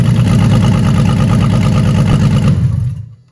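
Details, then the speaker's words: BMW E30 330i first start after fixing two swapped hoses and air in the circuit: engine catches and settles into a steady, even idle of about four beats a second, then shuts off; runs clean. "ça y est les RE enfin le premier démarrage comment je suis content de ouf"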